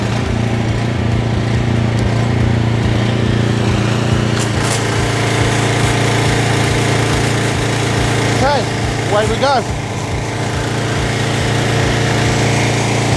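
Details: JCB pressure washer after restoration, water hose and gun connected, trigger held with nozzle removed because the unloader valve is uncertain. A constant buzzing engine note holds steady speed with no hunting or surging; healthy running under load.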